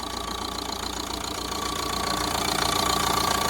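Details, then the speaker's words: 2014 Vauxhall Vivaro 1.6 CDTI van diesel, run briefly without coolant: regular idle clatter about three beats a second with an occasional uneven stumble; slight misfire at idle. "our engine is it's missing a little bit but sounds lovely"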